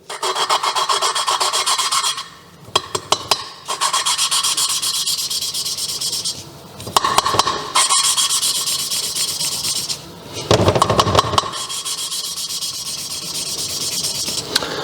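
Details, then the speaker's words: Lapping exhaust valve 1 by hand with coarse compound and engine oil on a Mazda 1.8 VVT cylinder head for a turbo 2003 MX5: gritty back-and-forth rasping that eases smooth as the grain cuts the seat. "you can clearly hear the difference in sound when you start to rotate it and when the grain do its job and it cuts the surface a little bit and it turns smooth."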